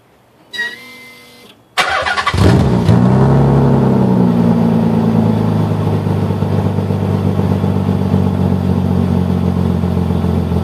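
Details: 1990 Nissan 300ZX 2+2 non-turbo: starter whir, then the engine fires and settles to a steady idle with a raspy, puffing edge from a leak in the original exhaust.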